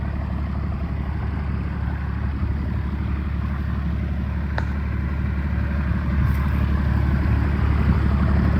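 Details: First-gen Dodge Cummins 12-valve diesel, 5-speed manual, just fired up: deep, even idle with a steady rumble and regular clatter, no misses or hunting; normal healthy diesel idle.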